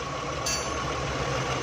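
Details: Daihatsu Charade 1000cc on CNG, new valve fitted for a late-starting fault; steady, even hum with no misses or knocks while the gas feed is adjusted and rpm rises to the right setting; normal idle.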